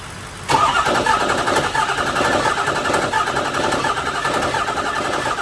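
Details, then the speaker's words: 6.0 diesel build with shift-kitted transmission and a split fuel line: catches and settles into a rough idle with a tinny metallic rattle from the exhaust hitting inside the fender; exhaust rattle. "all that noise that you're hearing that rattling that's the exhaust on the inside ofender"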